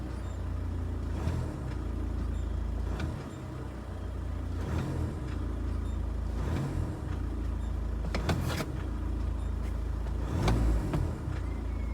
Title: Vw caddy noise when returning to idle